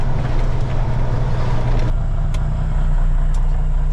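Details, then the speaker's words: 2000 Freightliner FLD120 diesel semi pulling away in first gear during fan clutch solenoid check: heavy steady low engine roar with loud fan rush over it; cooling fan engaged. "let me take off this fitting camera but it's really loud all right I'm going to leave the fan on and take off"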